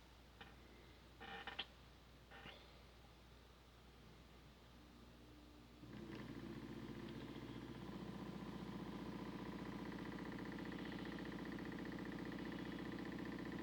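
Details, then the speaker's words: Skew-wound armature motor in homemade decoder tester: uneven buzzing hum with rhythmic roughness; owner suspects motor is cooked, likely frying decoders. "a little over an amp at 50% well Jesus dropped man that motor sounds terrible oh she's arcing inside so I'm guessing that the motors cooked"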